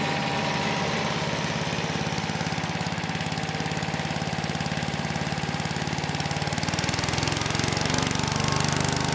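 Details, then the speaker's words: Troy-Bilt Chipper/Vac model 47279 with Tecumseh H50-65582U single-cylinder engine, revived project machine: even putter that picks up smoothly with no stumbles or knocks; engine sounds good and drive system works, carb tuning still under way. "That was a pretty good test. The engine still sounds good, and the drive system works as well."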